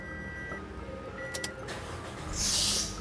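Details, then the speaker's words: Toyota Yaris (Bakpao) engine started quickly before indicators and electrics are ready: short sharp high screech as the fan belt slips at start, then fades; slow starting avoids it. "Nah, pasti akan berdecit. Maka dari itu, tolong teman-teman, kalau misalnya kondisi fan bell kita itu sudah tidak bagus, jangan buru-buru."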